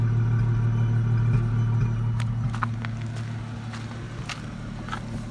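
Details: 2004 Ford Mustang 3.8L V6 automatic: idles fine for a minute or two, then irregular sharp pops every second or so with car shaking; scanner showed fuel pressure over 60 psi; cause was a faulty-out-of-box ignition coil pack, fixed by replacement.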